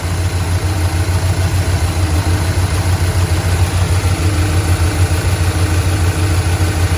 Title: lifter tick fading?